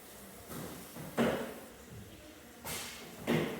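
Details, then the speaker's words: Donatoni Jet 625 CNC, Tool Plus water restored, head moving down: dull knocks in two pairs, something striking as the head moves; the operator plans to address it later. "I am knocking on something I know but [ __ ] you know man this is something I'm going to have to address it maybe tomorrow or whatever anyway"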